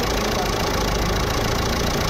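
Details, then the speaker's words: Jeep Compass diesel idling with the accessory belt removed: steady even diesel clatter with no grinding or whine, now silent, confirming the earlier loud noise came from the alternator pulley. "तो अभी देख सकते हो गाड़ी हमारी एकदम silent हो गई है क्योंकि जो हमारा प्रॉब्लम है अल्टरनेटर का पुली का प्रॉब्लम है"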